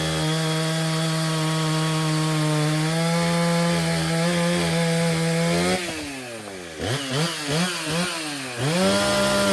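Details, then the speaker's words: Stihl 034 chainsaw after repair of a broken fuel line; original complaint starts and runs but won't idle: strong steady full-throttle buzz, pitch sags and recovers while cutting wood; starts easily, idles, accelerates well, healthy. "Okay, so the Stihl 034 runs really well. It's easy to start, it idles, lots of acceleration."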